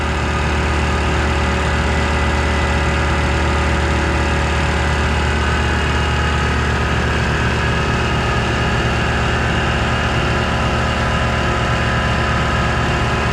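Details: Air compressor on a newly wired shop circuit refilling from about 100 psi toward a 140 cutoff the gauge may not read right: smooth, steady motor drone with even pumping pulse around two a second, no knocks or rattles; normal.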